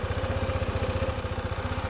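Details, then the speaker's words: Honda ADV 160 scooter with a prior hard-start problem, after ECU reprogramming: crisp, even single-cylinder thump, about eleven beats a second, holding steady; idle settled and healthy. "pero ayan oh. Goods na. Tapos mamaya magte-test drive ako."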